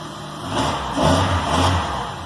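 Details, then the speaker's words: K24-swapped Honda Insight on Speeduino, sequential ignition, after valve adjustment: idles then revs cleanly in a couple of smooth blips with no ticking; previous tick gone, normal running and revving. "So there we go. We got her running again. Seems like everything's okay. Sounds good."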